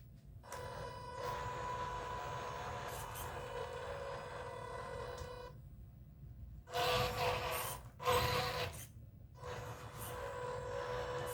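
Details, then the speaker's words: MN128 RC Jeep driving: a steady, loud high-pitched gear whine with louder bursts, seeming louder when turning than going straight. Owner suspects noise transmitted through the body mounts; cause unconfirmed. "it seems a little louder when you actually turn then when you're going straight for some reason I've Got a Theory about what's making it so loud"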